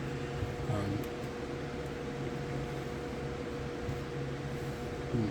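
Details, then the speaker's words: Electric fan powered by a Ryobi 120V 120W modified sine wave inverter on an 18V 4Ah battery: low steady electrical buzz over the fan's whoosh; motor hum from modified sine wave power. "That's because the reason it sounds, you can hear that hum, is because the fan normally works in a pure sine wave, and this inverter is a modified sine wave, so it causes the fan to sound like that way it sounds."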